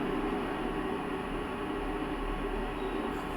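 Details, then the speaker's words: Full-copper solar inverter on a 120Ah LFP battery (28.1 V), mains off, running a 1-ton non-inverter AC set to 16°C at 45% load: a faint steady hiss and low hum, which started when the AC came on. It is normal, with volume boosted; normally audible only near the inverter. "ഇപ്പോൾ ഒരു sound hissing noise ചെറുതായിട്ട് വന്നിട്ടുണ്ട്. ഈ hissing noise AC ഓണായപ്പോൾ വന്നതാണ്."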